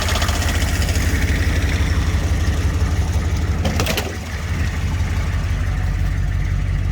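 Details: 6.5 turbo diesel parts truck at idle, exhaust leak possibly under driver's bank, turbo not spinning: fast, fairly regular tick of about three per second over the clatter; owner suspects the vacuum pump; oil pressure good, no blow-by.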